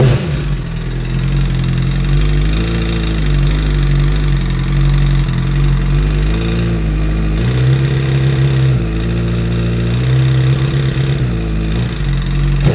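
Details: 2008 Honda CBR1000RR idling and revving with a dull knock from the crank area under the exhaust note; knock lessens with load on the rear tire; owner suspects recall-related crank issue.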